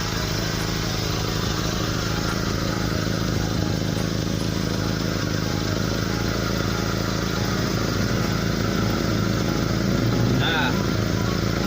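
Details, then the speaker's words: SS pickup at idle: a steady, deep, throaty rumble ("ngorok") confirmed to come from exhaust leaks, the largest at the rear underside of the pipe. "Jadi sudah dipastikan bahwa suara ngegorok itu terjadi akibat ada kebocoran dari knalpot."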